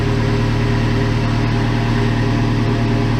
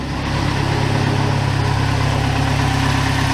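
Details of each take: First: 1987 Toyota Pickup turbo with 22R-TE engine, cold start warm-up: even, slightly raised idle hum around 1000 rpm with steady low beat and no misses, a normal fast idle that usually slows as it warms. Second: 1987 Toyota pickup 22R-TE turbo, cold just after start: deep slow idle rumble wavering, dropping from about 1000 to just below 500 rpm; idle very low, owner unsure whether normal, later slightly loping when warm.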